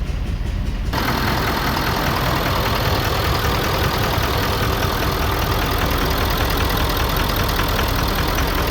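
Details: 2011 Ford Super Duty 6.7L Powerstroke diesel at 141,000 miles, with no EGR cooler or DPF, started and idling with an uneven, puffing beat at the exhaust; misfire from a low-compression cylinder.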